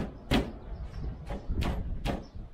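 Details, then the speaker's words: 1973 Triumph Stag driver's door being shaken: loose clunks and rattles, five bursts in under three seconds; something loose low inside the door, no inner plastic fitted, glass also rattles; cause suspected, not confirmed. "but I'm hearing a rattle down in this area before I get I know there's no plastic on the inside this door as well"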